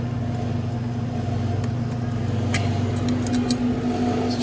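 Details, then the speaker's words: Delfield make-up table, condensing unit running: a steady low hum with a droning buzz from a loose stainless metal panel vibrating against the running compressor. "noisier than a bugger see that this metal right here is loose and if i can get it tight no more noise"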